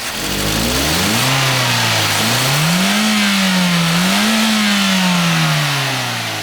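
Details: After fuel pump and filter unit replacement for low power, fuel pressure 48-49 psi per manual. Smooth engine note climbs and falls twice on throttle blips, rising cleanly without stumble or misfire; pulls strong, healthy acceleration.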